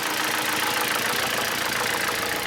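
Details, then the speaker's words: Hyundai Solaris 1.4 G4FA engine with oil consumption and heavy knocking, suspected counterfeit timing chain: busy metallic clatter and rapid ticking over idle; timing chain rattle and suspected piston knock, to be disassembled and diagnosed. "вообще всевозможные звуки стуки все что есть моторе по моему все брека поршня цепь тоже слышал вроде как сейчас будем разбирать"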